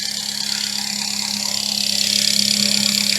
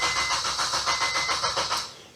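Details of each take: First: Supercharged ECUTEK-mapped FN2 Honda Civic Type R after new thermostat, idling 5 minutes without overheating where before it overheated in 3-4 minutes: steady, even idle with smooth hum and bright high whine, no misses or knocks; normal idle. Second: Supercharged FN2 Honda Civic Type R with a K20 engine and Ecutek map, after a new starter motor, knock sensor, thermostat and Yuasa battery: starter turns the engine in even pulses, about five a second, but it never catches; cranks, no start.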